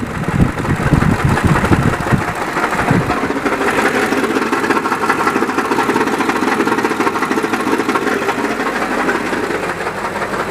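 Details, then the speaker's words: 2003 Ford F250, 7.3 turbo diesel, automatic, 160k miles, after a shop replaced the oil pan and fixed a rear oil leak: loud, rapid banging knock at idle over normal clatter, harsher at first, going away when rpm is raised. "Okay, but if we add RPM, it goes away. It does have to rump a little bit. It starts banging around. That was pretty ugly."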